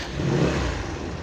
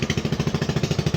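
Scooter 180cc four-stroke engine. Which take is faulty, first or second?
second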